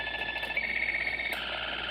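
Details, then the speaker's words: Keurig coffee maker plugged in but switched off: it gives a steady high buzzing radio-frequency interference over hiss on a radio tuned to a quiet low frequency; the noise stops when unplugged. "this is a keurig coffee maker and it's not on it is not on at all right now it's turned off it is plugged into the wall but it's turned off and look at this it makes a tremendous amount of noise"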